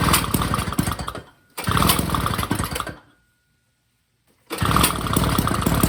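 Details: Snapper snow blower small single-cylinder after gas line replaced to fix a fuel leak, cover off: chatters and pops in quick, uneven bursts, drops out briefly, then picks back up; running normally.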